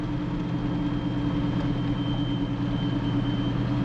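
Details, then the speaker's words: 1937 Buick street rod, 400 cu in small-block Chevy, running on an undercharged battery. A thin, steady high-pitched alternator whine rides over the engine hum as the alternator works to charge the battery. "The alternator's The alternator is whining. If you I doubt you can see me, but the alternator is whining because it's trying to charge the battery."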